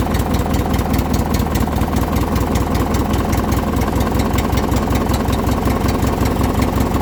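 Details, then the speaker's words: Poulan Pro with Craftsman-branded Briggs & Stratton opposed twin after choked cold start; steady, even putter with firm low beat, no misses or knocks; cold-blooded until warm, carburetor needs cleaning but runs well; normal running. "it's a little bit cold-blooded but once it warms up it actually runs pretty good"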